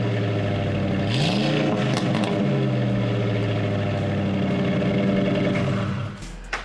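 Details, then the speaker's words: 2005 Ford F-150, about 230,000 miles, new MBRP 3-inch cat-back exhaust just installed: deep even rumble rising cleanly with revs, no rattles or leaks; sounds great compared to the factory pipe; normal exhaust note. "viewers there you have it that's how you install a catback exhaust on the knoll 5 f150 it sounds great compared to the factory pipe"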